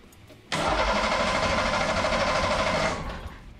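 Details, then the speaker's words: Ford Taurus SHO V6 engine before tear-down for Festiva swap: about three seconds of steady churning starter cranking, coarse uneven rhythm, no start, bad vibration; suspected worn motor mounts or broken transmission, cause unknown. "it's got a real bad vibration to it maybe it has normal for it do you hear that down there though I hear it but could be a motor mount"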